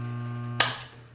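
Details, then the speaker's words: Table saw's single-phase induction motor, switched back on after a brief stop: a steady low mains hum with no run-up, then a click and silence as the motor stalls. Diagnosed as a bad start capacitor and fixed by replacing it. "I shut this off to do some adjustments on my fence and when I turned it back on it just buzzed but didn't start up"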